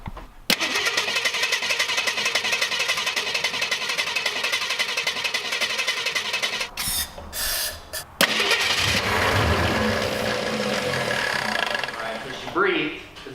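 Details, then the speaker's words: 1966 Mustang with new fuel tank, lines and clear fuel filters, fuel poured straight into the tank, mechanical fuel pump: long steady cranking that never catches; filters stay bone dry, so no fuel is delivered. "Are those filters still dry? Yeah, both of them. Bone dry? Bone dry."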